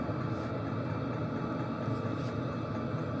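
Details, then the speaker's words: Diesel heater at near-maximum setting: steady fan roar with faint, regular light ticking from the fuel dosing pump, possibly resembling an engine knock; normal fuel pump ticking. "overall noise levels are about the same but you can definitely hear the"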